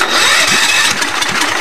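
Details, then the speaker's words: Allis-Chalmers tractor after an engine swap, freed from seizure after sitting: fast rhythmic cranking with brief puffs that never catch. The throttle also acts as the choke; the carburetor is suspected. "promising it's trying it's trying really hard could be that carburetor interesting very very interesting"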